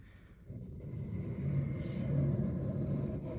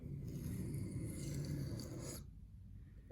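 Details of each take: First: There, you can hear the difference kind of in the sound as I run the blade down the stone. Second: Reed knife sharpened on a 1500-grit stone with an angle guide: rough, rasping, uneven scrape rather than a smooth, consistent hiss, suggesting the angle is too low.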